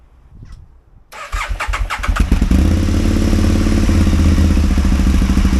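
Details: Aprilia Caponord 1000 V-twin misfiring: after it catches, it runs with an uneven, stumbling beat and dropped pulses instead of a steady thump, one cylinder misfiring.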